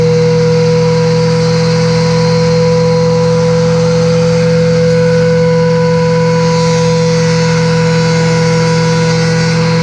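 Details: Delta planer reassembled after sharpening its thin, quickly dulling blades in a shop-made fixture; part one found the cutterhead not parallel to the flexible platen base: loud, steady motor drone with a constant low hum and higher tone, even throughout. The planer is running normally.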